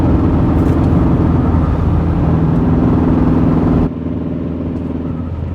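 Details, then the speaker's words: Dodge Caliber SRT-4 with Darton-sleeved engine, cruising in sixth gear: steady rapid knock about four per second under the engine drone, easing as load drops. It began after a 6th-to-4th downshift; owner suspects rod knock, not confirmed. "my caliber I'm in sixth gear right now elbows and I got a weird noise coming from my"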